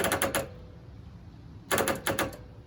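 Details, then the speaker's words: Toro zero-turn mower starter solenoid: two quick bursts of rapid metallic clicking with no cranking. The electromagnet engages then disengages because the battery is too low; fixed by charging the battery overnight. "you can hear it clicking but the electromagnet is disengaging"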